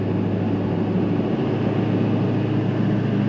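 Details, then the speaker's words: 6.6 Duramax truck, power-braked after radiator hose replacement and exhaust manifold work: a steady, heavy diesel drone under load as the turbo works, with no hiss or whoosh of escaping air. No boost leak; a later noise was attributed to the brake booster. "I'm going to power break this some and see if we can't hear another boost leak okay we're coming up I hear the turbo going to work"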